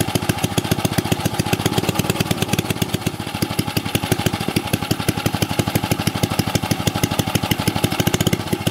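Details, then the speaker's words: Old 2 HP Briggs & Stratton single-cylinder engine, already run earlier. Even, rapid popping at steady speed, no misses or knocks. Normal running. "Here we go, we'll fire it up. Shouldn't have to choke it, I done had it ran earlier."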